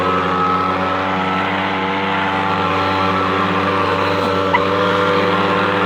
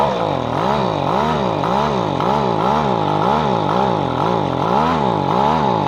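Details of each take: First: Echo PB-250LN handheld two-stroke leaf blower after fuel line repair, owner questions whether it blows strongly enough: constant, clean buzz holding one pitch without sagging; runs well once warmed up after about a minute. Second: Echo PB-250LN two-stroke leaf blower after replacing broken fuel lines and cleaning non-adjustable carburetor, warmed up: buzzing drone swelling and sagging about twice a second, hunting; owner reports weaker blowing than before, seems underpowered.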